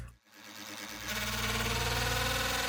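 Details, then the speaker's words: Reef-tank wavemaker pump: a steady hum turns into a fast, sustained buzzing rattle as a small snail gets stuck in the propeller; this recurring jamming is why the pump was eventually replaced. "And those tiny dove snails, which are all over my reef tank, always somehow end up getting stuck in one of the propellers, which is the single worst thing that can happen in the middle of the night."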